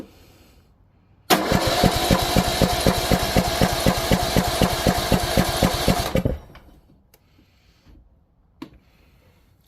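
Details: Craftsman T1600 riding mower with Briggs and Stratton 19.5 hp engine, kept outdoors all its life, during fuel-system troubleshooting: starter cranks steadily about four beats per second for about five seconds, engine never catches; fuel smell noticed, cause unconfirmed.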